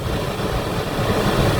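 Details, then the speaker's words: Toyota Avanza rear aircon blower after bushing replacement (electric-fan bushing, rotor and spacer adjusted), at speed 3: even, steady whooshing hum with no grinding or scraping, previously a stone-grinding noise; normal blower operation. "So yan, swabe na siya. Yan, naka number 3 na yan, oh. Yan, wala nang ingay."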